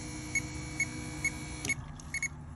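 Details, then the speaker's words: 2018 Dodge Charger SXT, no start after fuel pump replacement: a high dash chime repeats about twice a second, then a quick double beep, with a fuel level sensor error code. The new pump doesn't run because it was mis-wired. Swapping the ground and sender power wires fixed it. "and but then when i plug it up into the head you know [Music] there's absolutely nothing just throwing the error code on the dash"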